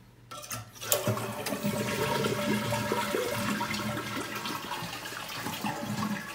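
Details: Toilet flush after replacing the fill valve and flapper with a 400A anti-siphon fill valve and 501 flapper kit: a sharp release, then a strong steady rush of water draining and refilling with no hissing or trickling; normal flush.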